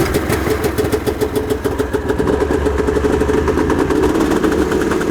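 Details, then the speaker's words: Unreliable two-stroke snowmobile after repair, first start checking fuel draw and leaks: rapid buzzy putter at fast idle, a bit uneven but running on its own; back in service. "Oh yeah, we're in business. Scuzzy's gonna live another day."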